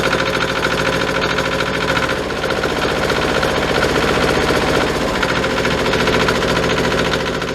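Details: Yanmar 155D compact diesel tractor after oil change, started using decompression lever and half throttle: catches quickly, settles into steady, even clatter with throttle up; running fine.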